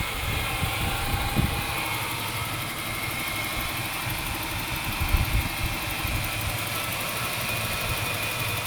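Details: 1996 Ford Falcon EF 4.0 inline six: lumpy idle with dips and stumbles, a misfire in park, neutral or drive. It is smooth under load; compression is in spec, there are no vacuum leaks and timing chain tension is correct.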